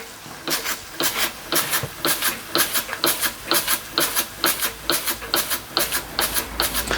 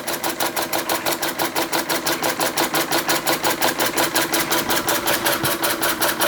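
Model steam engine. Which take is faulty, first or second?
first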